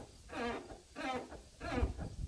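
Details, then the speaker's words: 2004 Chevrolet Silverado 5-speed, replacement clutch pedal assembly after greasing the white pivot ball: three rubbery chirping squeaks about every 0.6 seconds, one per pedal stroke; squeak suspected from the pedal ball area, not confirmed. "noisy now I'm assuming that the risk that noise is coming from up here but I don't know that for sure"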